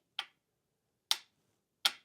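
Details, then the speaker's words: MerCruiser trim pump assembly bench-tested: up direction gives three sharp solenoid clicks with no motor running; solenoid powered and working but possibly corroded contacts; down direction works. "you can hear that. That clicking is the solenoid. So, the solenoid is getting powered and physically working."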